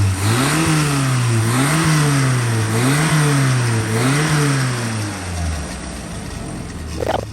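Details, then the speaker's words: Engine thought to be a 998, with a banana-type manifold on a dyno, fired up for what are believed to be running issues: the revs swell and sag in a regular cycle about once a second instead of holding steady; it is hunting, cause not yet found. "that's a similar sort of engine but with a banana type manifold I think it's a 998 and uh it's got a few running issues I believe so we're going to fire it up and see how it"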